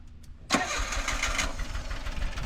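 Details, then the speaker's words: Autozam AZ-1 after clearing a clogged exhaust: engine catches and settles into a lumpy, uneven idle with skipped beats, missing some cylinders; misfire traced to a bad distributor cap and plug wires. "it's running missing some cylinders here let's figure out which one"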